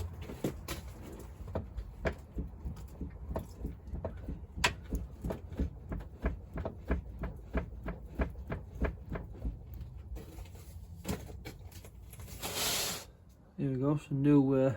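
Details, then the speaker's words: Land Rover Discovery 2 with the body rocked by hand: sharp hollow knocks about three a second; owner suspects a split anti-roll bar drop link, and the drop links are then replaced. "I've got a knocking KN from Wonder Land Rover I suspect it's when it's Dro that's got a little split in it"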